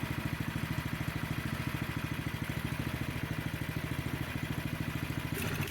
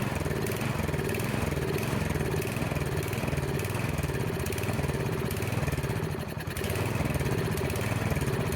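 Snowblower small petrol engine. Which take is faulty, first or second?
second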